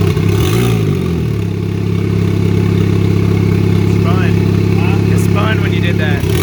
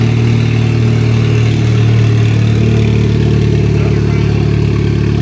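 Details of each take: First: Turbo 2004 Chevy Cavalier, 2.2 L Ecotec, 57 mm turbo, at first start on two-year-old fuel with no sensors and the exhaust half-fitted: loud, rough idle drone with clatter; the wastegate is wide open, so exhaust bypasses the turbo. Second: 2004 Chevy Cavalier 2.2L Ecotec I4 with 57mm turbo, first start on two-year-old fuel, no intake or exhaust sensors fitted, exhaust half installed: deep, steady, even rumble with no knocks or misses, fairly loud; runs normally.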